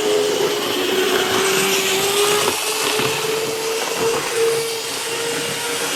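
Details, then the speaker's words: Atlas EMD S9 model locomotive, non-sound-equipped, running on track: steady high whine near 450 Hz over rail clatter, absent at slow speed and rising with speed; suspected lubrication issue, before cleaning and relubing. "When the speed increases, you can really hear that whine."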